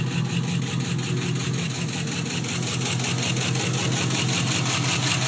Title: 99 gmc sierra 1500 5.3L 4x4 rod knock bottom end knock